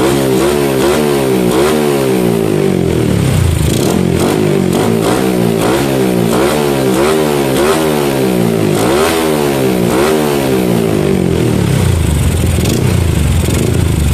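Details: Yamaha Jupiter MX single-cylinder with PE28 carburetor, hard starting before tuning, revs up and down cleanly and settles without stumbling after pilot and main jet setup; running properly.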